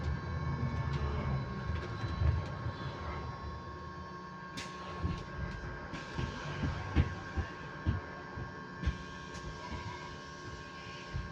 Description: This is another thing I like about electric buses they can an sometimes make random sounds on constant pitches like this that are kinda relaxing to listen to but at the same time can kinda be annoying.